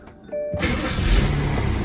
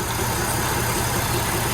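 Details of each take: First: 2004 BMW 525i with a cylinder 2 misfire code and the car shaking: starts, then settles into a lumpy, uneven, stumbling idle. Cylinder two is misfiring. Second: 2004 BMW 525i petrol engine after repair: steady, smooth idle with no shake or stumble. The cylinder 2 misfire was caused by a torn, hissing intake manifold gasket; coils, plugs and spark had all tested okay.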